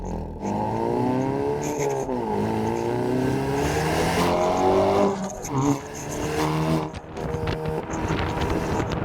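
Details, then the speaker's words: Hyundai Veloster N with catless Depo Racing downpipe, valved exhaust in normal mode: smooth, fairly muted note climbing through a full pull, no pops or crackles; healthy exhaust. "I'll put it in normal, show you guys the difference. See how much quieter it is. Look at these ducks. Bro, it's so much quieter, it's crazy. You can definitely go stealth. There's no pops, nothing."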